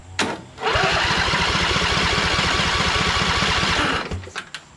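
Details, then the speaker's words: Briggs & Stratton 20 HP Intek V-twin from Craftsman LT2000, after valve guide repair: cranking at about four soft pulses a second, spinning too freely; right cylinder still about 90 psi, owner suspects blown head gasket. "it's still about 90 see that's not very good perhaps the gasket blue on this one and look it's still kind of leaking"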